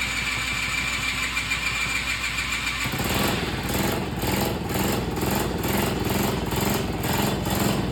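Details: 49cc mini chopper engine being started during a timed get-it-running attempt. It catches about three seconds in, then runs with an uneven, surging beat instead of a clean steady buzz. Rough running.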